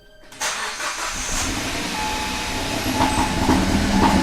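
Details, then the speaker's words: Kia Pro Ceed GT with a long-standing cold-start misfire, started at 2 °C: idle shakes and stumbles with irregular missing beats, far worse than before, engine light flashing and rotten-egg smell; owner wonders if catalytic converter is the cause. "misfiring loads but way worse than it's ever done it before"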